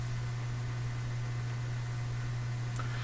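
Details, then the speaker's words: Canadian General Electric A55Z tube radio, after replacing an electrolytic capacitor: loud, constant low mains hum under faint hiss, present from switch-on once field coil energizes; hum cause not yet found. "so the hum is probably there from the instant we turn it on we just can't hear it"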